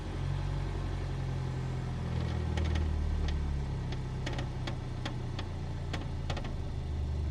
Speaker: So, that was biting point two. Creaking, shaking. The car's like, "No, no, that's wrong. You've gone too far."